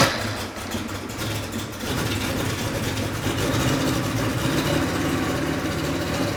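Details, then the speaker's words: 1987 Porsche 911 Carrera 3.2 on a test stand, first start after years of sitting, fuel rail about 2 bar: uneven, lumpy running with heavy exhaust popping and a raw fuel smell, likely unburnt fuel; traced to a misgapped, damaged flywheel speed sensor. "just getting a lot of popping out the exhaust which I think is unburnt fuel just smells like gas in here it's really popping"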